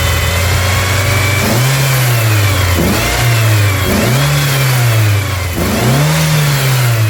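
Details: 1999 Ford Ranger 2.5: repeated blips up and back down with a hissy rush over the engine note on each rev; a massive vacuum leak.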